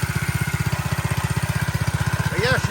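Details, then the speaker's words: Restored vintage mini bike single-cylinder, one-pull start, choke off: steady, even putter around fourteen beats a second, no misses or knocks, chirp near the end, dry clutch needs lube; healthy idle, runs really good. "runs really good. Nice little nice little bike. Nice little bike."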